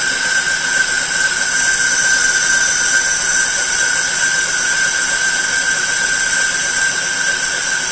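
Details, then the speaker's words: Lathe roughing high-impact ductile iron marine engine coupling held in a four-jaw chuck, one-hundred-thousandths depth test cut: even, steady high-pitched hum and sizzle with no chatter or squeal; tool cutting cleanly, sounds pretty good. "okay that sounds pretty good"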